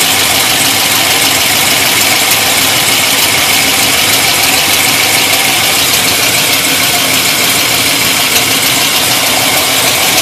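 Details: Pontiac GTO V8 with larger cam, oil and oil pump changed a few hundred miles ago: sporadic tick louder than valve-train tick, rising with engine speed, loudest by passenger side, faint in engine bay, no exhaust leaks found; engine ticking, source unknown.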